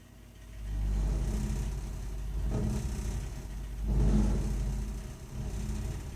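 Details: Burnham Alpine ALP150W gas-fired boiler, 3 years old, frequently rumbles when running: deep uneven low rumble swelling and fading every few seconds while firing; cause not yet known.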